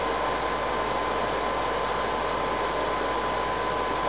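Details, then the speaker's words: PS4 Pro under game load: constant loud airy roar of the cooling fan running flat out, noise worse since a system update; cause unclear. "When I got my PS4 Pro, it did make a bit of noise, but then something changed in a system update and suddenly most games made it sound like, well, like this."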